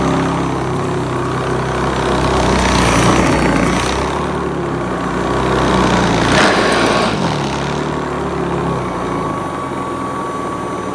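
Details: Hoover Commercial C1310 upright vacuum after a third, slightly smaller, tighter belt was fitted; steady even motor drone, no belt squeal or slipping flutter, during an agitation test on rice and sawdust; brushroll drive running normally.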